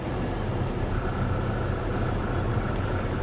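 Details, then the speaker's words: 2023 Corvette C8 1LT at 78,721 miles, not yet due for spark plugs: an uneven, lumpy idle and a bad misfire that seems to clear at some RPM; owner suspects fuel injection or low compression. "I don't know it feels like under a certain RPM it feels like it clears up it's definitely misfiring pretty pretty bad"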